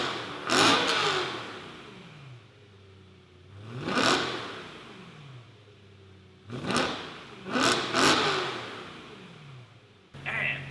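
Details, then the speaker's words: BMW E90 M3 with resonator delete, before new exhaust install: several sharp throttle blips from idle with a ragged break-up at low RPM on first blip, cause not yet sorted; exhaust break-up on low-rpm blip. "but if you guys hear that weird like break up in the exhaust, that's what that is."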